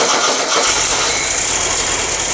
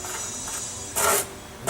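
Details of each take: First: Engine, run after a generator swap and sitting two years, fuel petcocks opened, choke held closed: after a brief stumble it settles into a fast, steady, even crackling beat as it warms. Normal running. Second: Beetle engine after a generator swap, shims all on the back side, fan turned by hand: dry scraping rasp in short bursts as the cooling fan rubs on the backing plate; fix is moving shims to the other side.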